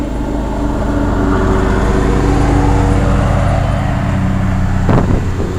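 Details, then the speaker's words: 1987 Carrier Round One 3-ton straight-cool central air condenser, running: low steady compressor and fan hum, barely audible, no knocking, one brief thump near end; quiet, healthy normal running. "Yeah, you can just barely hear the compressor going. Carrier high efficiency, or Carrier Deluxe high efficiency."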